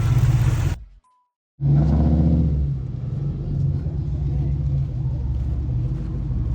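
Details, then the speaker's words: Car started with an Auxito jump starter charged to 90%: catches after a brief silence with no hesitation and settles into a low, steady, even idle rumble with no misses. "All right, as you can see, it started up no problem, no hesitation."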